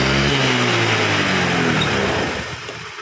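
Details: Honda Vario 110 carburettor scooter after fixing lack of power caused by the carburettor vacuum slide rubber: revs cleanly and crisply with no hesitation, then drops back smoothly as throttle closes; healthy.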